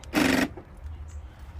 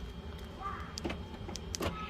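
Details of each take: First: 2011 Infiniti G37 sedan front door: one loud, harsh buzz of about a third of a second when locking. The door lock actuator is suspected, though the mechanic says it might not be the actuator. It is being replaced anyway. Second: 2011 Infiniti G37 front door lock actuator after replacement, tested with the door panel refitted: brief motor whirr and a couple of clean lock clicks with no buzzing or grinding. Working normally.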